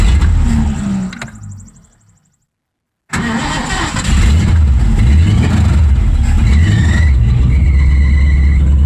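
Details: 1984 Mazda RX-7 with swapped Ford V8 after carb rebuild, patched radiator: cranks, catches and settles into a steady low V8 idle; oil diluted by fuel from sticking needle and seat.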